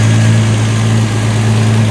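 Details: 1976 Triumph TR6 before restoration, with fuel leaking at bottom O-rings: smooth, even, quiet low idle with steady hum, no misses or knocks; engine running cleanly.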